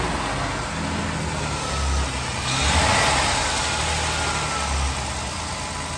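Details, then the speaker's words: Jeep Wrangler bought totaled from Copart, first start: steady, even V6 idle with one gentle swell in engine speed that settles back; it runs smoothly with no knocks or misses. "sounds pretty good to me that's amazing i'm so happy it started one way or another we got it running"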